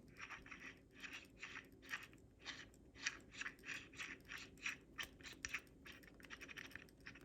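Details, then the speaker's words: New MEKOH pressure washer gun, swivel turned by hand with no water pressure: repeated dry, scratchy grinding bursts. The swivel has no wiggle but feels firm and grinds instead of turning smoothly. "It doesn't really have any wiggle to it, but it has a scratchy sound when you turn it, and it's kind of firm. I mean, it does rotate right there. Hear that? Like it's kind of grinding in there."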